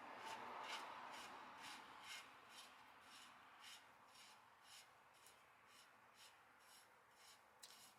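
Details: 1966 Plymouth Fury drum brake with the drum refitted before any shoe adjustment, while new wheel bearings and brakes are being fitted: a light scraping rasp about twice a second in step with the spinning drum; shoes rubbing on the drum.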